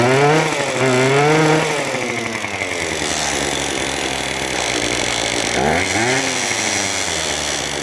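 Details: Craftsman WS2400 two-stroke pole saw after refilling with freshly mixed fuel, before carb adjustment: revs rise slowly and sag on throttle, dragging before picking up; hesitation and bog milder than before.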